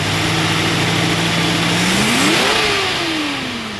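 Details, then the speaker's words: 1974 Ford Bronco freshly rebuilt V8 (flat-tappet Summit cam), warm at 180°F thermostat, idle about 750–800 rpm; quick rev climbs cleanly and falls back evenly, no knocks, misses or ticking. "Very smooth. Idle's about 750, 800."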